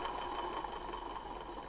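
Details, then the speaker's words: 1980 Triumph TR7 alternator spun by hand off the car: steady gritty mid-pitch whir, no knocking; worn internal bearing though the shaft has no play, to be replaced eventually. "Doesn't that sound just great, eh? So the bearings somewhere. It doesn't have any play in it, but"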